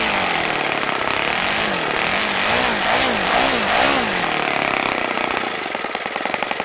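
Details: OS FS-95V four-stroke glow engine, first run after rebuild, 15% Omega fuel, 14x6 prop turning over 10,000 rpm, OS F plug: loud high buzz swinging with throttle then steadying; runs smoothly, only an overly free throttle arm limits low idle.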